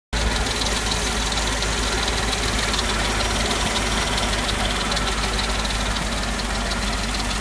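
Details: Mercedes-Benz G55 AMG naturally aspirated V8 idling with a fast, light ticking from the engine bay. The ticking continues with the serpentine belt removed, so the water pump is ruled out.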